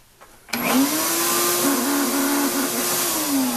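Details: Shop vacuum running: harsh wavering whine over rough rushing roar with poor suction; owner suspects dust drawn through before fitting a dust separator ruined the motor, not confirmed.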